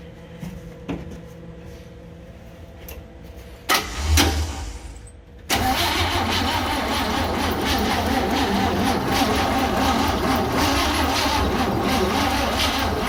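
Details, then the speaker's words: 1966 Chevy G10 van, battery briefly charged, 50:1 mix poured in: slow uneven cranking about two beats a second; weak battery or bad starter suspected. "Got enough battery here. Probably don't have enough battery. And maybe a bad starter."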